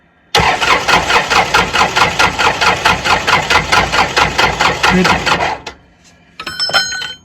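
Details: Hard-used Kubota L3400 diesel tractor: steady starter churning about two turns per second for five seconds, then a short second try, never fires; cause not confirmed.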